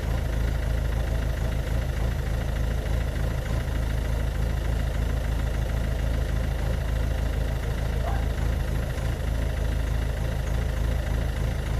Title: Ford Focus MK2 1.6TDCI 90hp (hdi) White Smoke and Rough Idle